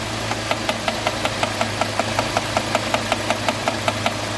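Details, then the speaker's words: UAZ Patriot engine at idle after start, low oil pressure (below 1): crisp, even rhythmic ticking about five times a second over a low hum; hydraulic lifter ticking from low oil pressure. "вы слышали как тарахтят компенсаторы то есть у компенсатора четкий речник ритмичный звук компенсатор он четко теракты"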